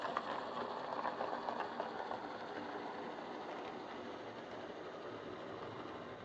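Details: Old Lima Class 31 model locomotive in freight livery, overhauled, with extra pickup on front bogie, running round the layout: light, even whir of small motor and gears at constant speed, fading as it moves off; normal running.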